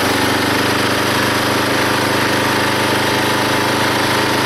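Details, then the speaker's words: Log splitter small engine driving the pump by belt, after fitting a homemade spring-loaded idler arm because the belt flew off: loud steady buzz through the split, no bogging, squealing or stumbling, hardly any belt slip; normal running under load. "now when it runs you can definitely hear the engine take the pressure of splitting that log and there's hardly any slipping on the pulley or on the Belt now"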